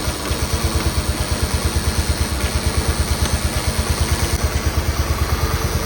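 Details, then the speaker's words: Cub Cadet 1211 with Kohler engine, new Cyclops 30mm hydrostatic transmission, after cam adjustment with one wheel on: even, steady thumping about three beats a second with no stumble; no more creep, running normally. "can see we no longer have any creep in it."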